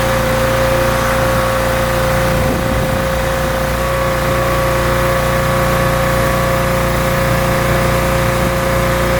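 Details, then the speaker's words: Rebuilt pressure washer small engine with a known leaking manifold, cleaning a car wheel: steady, even drone under load with constant pump whine, no misses or surging; runs really well, normal running under load. "The thing actually runs really well."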